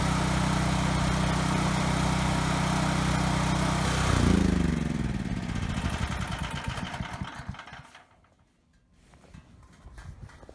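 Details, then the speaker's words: Ryobi RY905500 5500-watt generator restarted after resetting the tripped GFI. Steady even drone for about four seconds, then it winds down and stops; smooth running with no misses, frequency slightly high. "good the Hertz is a little bit high so I'm gonna tweak that a little but it was just the GFI that was tripped thankfully so I'd say this is pretty good"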